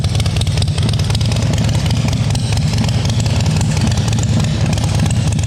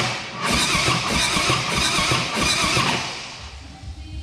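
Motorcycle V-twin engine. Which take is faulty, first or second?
second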